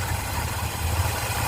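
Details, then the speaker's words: Ford Fairlane V8 with a new Holley 500 CFM carburetor and manual choke, started with the key, tach reading about 700 rpm (owner plans to raise it slightly): steady, even low rumble with no misses, knocks or hunting; smooth idle. "Pretty nice. Idle smooth."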